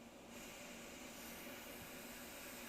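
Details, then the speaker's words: A/C system pressurized to about 200 psi, service valve opened slowly into a rag to release all pressure before vacuum: soft steady high hiss of gas venting, no oil coming out. "so he's opening this up until we have no pressure in the system so you may hear a hissing noise"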